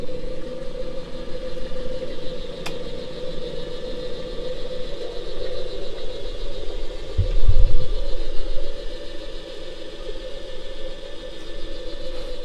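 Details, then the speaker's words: Electric radiator fan for a Jaguar MK2 project, bench-tested via the override switch while wiring it up: steady rough gritty whirring hum, a very worn, clapped-out fan motor, though the wiring concept works. "If we do the same again with our override switch, you can hear the most clapped out, worn out piece of junk ever to grace the bench, but it proves the concept."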